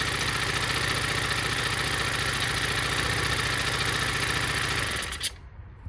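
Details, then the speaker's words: Honda four-stroke string trimmer after cleaning carbon buildup off the spark plug tip with sandpaper: starts right away, buzzing steadily at high revs with an even beat, then shuts off; normal running. "as you can see she start up right away so the problem was just little carbon build up on top of the spark plug"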